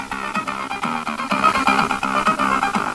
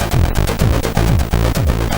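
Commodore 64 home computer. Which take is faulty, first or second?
second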